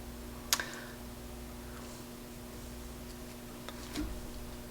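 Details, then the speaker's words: Sansui AU-101 amplifier powered up through a dim bulb: steady low buzz mainly from the left channel, which is very weak, caused by a filter capacitor whose rusted legs lost their connection. "I'm hearing a buzzing sound the buzzing sound is there I'm not sure what that means I have I believe it's coming from the left side I don't hear it from the right"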